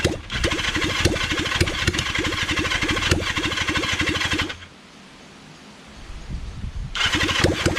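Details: Kawasaki Zephyr 750 under restoration, carbs just fitted after ignition fixed, cranked with a bit of choke: steady starter churn about three pulses a second that never fires. Cranks but won't start because the tank ran dry.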